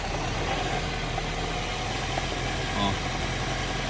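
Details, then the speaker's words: Honda CR-V idling after an 80 km trip and a recent oil change: steady idle with a dense, uneven rattle, present warm or cold and worse when cold; owner locates it near an electrical component; cause unconfirmed. "Natomiast tutaj cały czas ten dźwięk, niezależnie od tego, czy on jest, to grzechotanie w silniku jest, czy on jest zimny, czy on jest, czy nie ma znaczenia."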